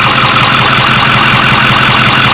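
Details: Diesel truck after turbo replacement and fuel cooler secondary system priming: loud, steady clatter at even idle, no misses, surges or whistles; purrs, no leaks, normal diesel idle.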